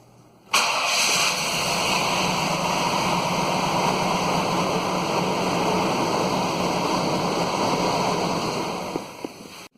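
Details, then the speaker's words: 1998 Chevy Silverado 3500 7.4 (454), crank-no-start call: engine catches and runs rough with an uneven stumbling beat and hissy rasp, sounding like a dead cylinder; distributor cap suspected, unconfirmed. "it is is running rough so it sounds like it has a dead hole"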